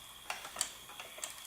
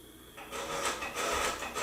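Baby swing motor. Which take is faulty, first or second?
second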